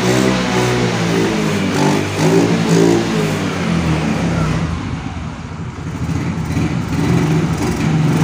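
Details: Yamaha Mio Soul GT single-cylinder scooter that dies when throttled, no MIL code or scanner reading: revs unevenly, pitch rising and sagging, only with petrol added at the air filter intake; confirmed weak fuel injector.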